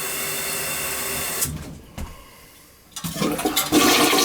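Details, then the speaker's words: Toilet after the supply valve was opened and an obstruction pulled out: strong rushing flush, brief quieter drain, then a vigorous refill with a little gurgle; the bowl clears well. "Now watch to see if it goes down good this time. Look at that. Oh yeah. What a difference."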